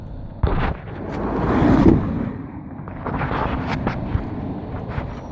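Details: 2005 Dodge Dakota 4.7L with hard start and stalling: low, uneven rumble with irregular stumbles and puffs instead of a smooth beat, a rough-running misfire whose cause isn't clear yet.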